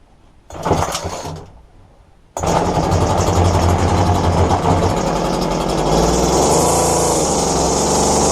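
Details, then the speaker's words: Roadside-found McCulloch two-stroke strimmer after replacing fuel lines, restarted after cooling: one failed pull, then catches and settles into a steady even buzzing idle; normal start and idle. "so there you have it all it was was a few lines I haven't even had to churn it up on nothing on it and it run"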